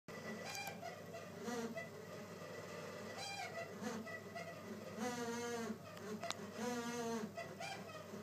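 Irregular high, hoarse squawks and chirps keep breaking in over a faint hum, like a squealing part, cause not evident.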